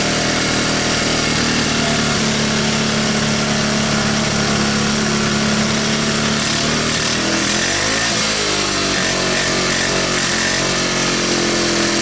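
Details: 1985 Honda ATC125M single, revived after seizing, PZ27 carb and portable 12V CDI, just after cold start: steady buzz then a quick throttle blip rising and settling cleanly; runs normally.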